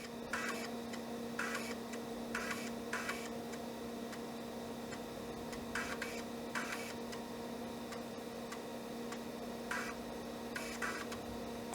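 Quiet hum broken by short clusters of quick ticking every second or so; the drive head is seeking and reading normally.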